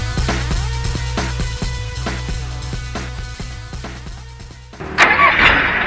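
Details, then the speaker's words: Mitsubishi military Jeep after starter repair: even cranking about three beats a second with no grinding, then the engine catches and runs; starter engaging cleanly. "So here we are again, expecting that we can just turn the key and the Jeep will start right up and won't make any weird noises."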